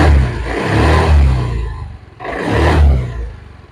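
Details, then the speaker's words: Old carbureted Honda Vario 110 scooter revved twice after replacing the CVT brass boss: smooth rise and fall with no clacking from the CVT, where clacking had persisted after bearing and boss replacement. "is very smooth. so there's no clacking clack clack clack sound when you pull it, guys"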